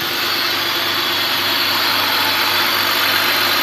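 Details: 2002 BMW 525i after replacing the two bad ignition coils behind the cylinder 2 and 4 misfire codes: steady, even idle with a smooth hum and no stumbles; engine now fires cleanly on all cylinders.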